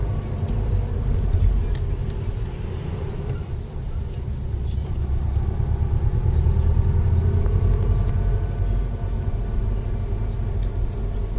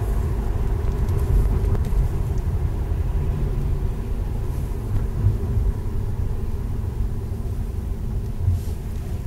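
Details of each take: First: Subaru Impreza WRX new-age, center diff bearing whine around 28–30 mph, faint in first and second at low speed, prominent in third to fifth; pitch rises with road speed, unchanged across gear changes, over road rumble. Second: Subaru Impreza WRX 5-speed gearbox after center diff bearings were replaced and shafts shimmed: steady low road rumble on the move with no whine rising with speed; normal drivetrain, center diff silent.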